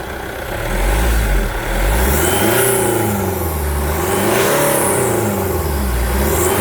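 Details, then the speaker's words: Jeep Compass after service: engine starts and settles into an even idle, then clean smooth revs rising and falling without knocks or stumbles; running healthy at delivery. "Vamos escutar esse funcionamento do motor. É uma melodia ou não é uma melodia?"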